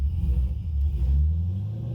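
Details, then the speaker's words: Pontiac GTO with V8 and aftermarket short shifter, heard while driving: deep, full, even exhaust rumble swelling and easing as it pulls; sounds healthy. "that sounds good real good yeah"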